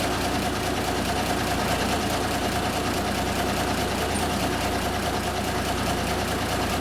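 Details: 1974 Kenworth W900A, Cummins NTA420 diesel, idling after three years sitting: deep, steady rumble that stays even with no misses or knocks. Normal idle.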